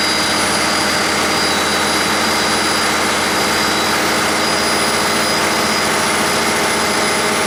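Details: 1959 Caterpillar D337F diesel generator set, ex-hospital, barn-stored 10–12 years, about 959–960 hours, running with no load and barely at operating temperature: steady, even roar with a high whistle on top, no knocks or misses; normal running.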